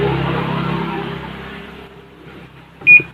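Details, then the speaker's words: Panasonic washing machine control board after repairing a broken board trace that had made the start button and three others unresponsive. A faint hum fades, then one clean high beep on the button press; the display shows numbers and the panel responds normally. "กดติดมีเสียงมีตัวเลขขึ้นปกติครับใช้งานได้ครับ"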